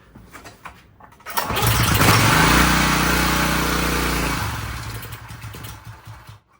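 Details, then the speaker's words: Subaru EA190V pressure washer engine, unused for years, on starter fluid: it catches, revs hard toward wide-open throttle for about three seconds, then fades and dies. No fuel is reaching it; fuel starvation. "off we're getting closer uh as it's running I'm seeing this the throttle kind of do this it starts off and then it cuts itself and I think it's trying to go wide open but there's no fuel getting to it"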